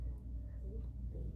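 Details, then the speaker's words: Home AC air vent with a low, rough, steady growl and weak, not-cold airflow during a severe thunderstorm with power issues; the unit is straining, cause not yet known. "there's a real growling sound. And my air vent is not blowing air very fast, and it's not cold."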